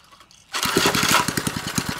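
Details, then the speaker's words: Formerly locked-up 3 hp Briggs and Stratton engine freed and started with a replacement carburetor: fires quickly and settles into even pops with no knocking; running healthy, though not drawing fuel yet. "we got it running and it sounds good I don't hear any knocking so that's probably going to be a good little three horsepower engine"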